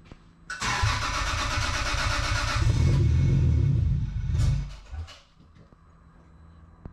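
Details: First start of a 2JZ engine swapped into a Mk3 Supra: it cranks, catches, runs rough and uneven for a few seconds, then stumbles and dies. A lean misfire.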